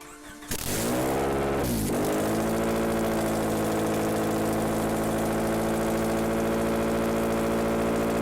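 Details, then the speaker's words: Honda F22 2.2L Accord engine rebuilt after a broken camshaft, on synthetic oil, without the power steering pump and alternator: fires after a short crank, flares, then settles into a loud, smooth, even idle with no knocks; no lower-end damage heard. "well all that hard work paid off it fires up it runs right on dude right oh that's awesome"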